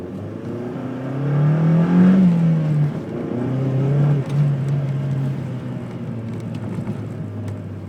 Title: bruit moteur 2